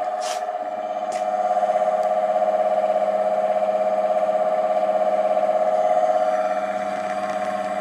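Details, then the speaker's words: ATB three-phase induction motor run single-phase on a 30 µF capacitor after rebuild with newly pressed-on bearings: steady, even mid-pitched hum with slight regular pulse, no grinding or rumble; quieter than the old bearings. "the old bearings weren't too bad but uh the motor was a little bit noisier with the old bearings than with the new ones"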